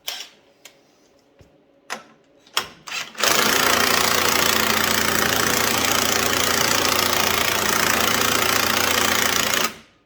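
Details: White Outdoor LT542G riding mower that ran rough, used too much gas and put fuel in the oil; after a few pulls it fires into a loud, uneven stumbling run, fuel starvation from a missing carburetor main jet.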